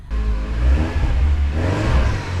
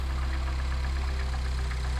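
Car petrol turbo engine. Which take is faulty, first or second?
second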